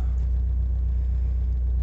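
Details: 1989/1990 VW Golf Mk2 with automatic, Pierburg carburetor, cold engine, heard in cabin: deep steady low rumble with slight throttle added, no rattle, steering wheel and dash don't vibrate; slight rattle noted at cold idle; smooth running.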